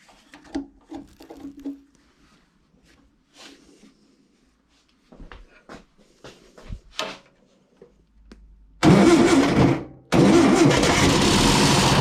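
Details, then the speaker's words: Long-stored air-cooled VW engine, first start, small fuel prime, broken muffler: a few cranking thumps, then catches loud and raw about a second, dies, catches briefly again; needs choke, likely ran out of gas. "See that? She was running. Just a second, but she was running."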